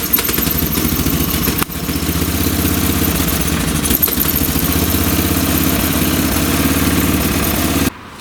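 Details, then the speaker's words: Old late-1980s/1990s single-cylinder lawn tractor on fresh gas, fuel valve on, running rough and lean once off choke; mixture screw being turned out further, about two turns, for a lean fuel mixture and poor running off choke. "okay so it's not running too good off the choke again so I'm just going to turn out the screw even more"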